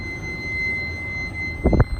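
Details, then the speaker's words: Mazda FD RX-7 before first start, key on, engine not running: steady, even blower fan hum with a faint constant high whine, no rubbing or ticking; blower motor works normally. "I wonder if the blower motor works. That's the coolant light. Hey, the blower motor's on."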